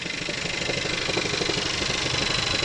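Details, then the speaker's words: Seat Leon FR petrol at idle, mic under the car: steady idle with a thin high rasp over the engine beat, reported as squeaking belt or pulley noise; suspected worn belt or pulley, not confirmed. "Leon fr a petrol engine uh czea it doesn't sound good under here someone's making a noise"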